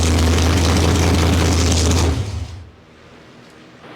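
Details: 1972 Ford Maverick with a fresh 317 stroker V8 (Victor Jr heads and intake, Comp hydraulic roller cam 230/230 .598, 4150 750 carb) on its first run, no exhaust fitted. A loud, deep, steady open-pipe rumble that then cuts off. Running normally.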